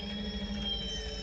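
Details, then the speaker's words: Club electric paragliding and hang gliding winch rewinding the drogue line onto the drum after a sudden speed-up. Steady electric whir with a light mechanical ratchet as the line winds on. Normal winch operation. "can hear the speed of the winch coming in. It's retrieving that line."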